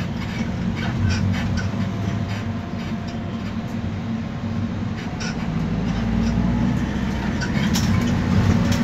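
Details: Iveco Daily diesel minibus, 6-speed, on a Keçiören–Ostim route while driving: heavy road rumble with irregular sharp creaks and squeaks from underneath; source unclear.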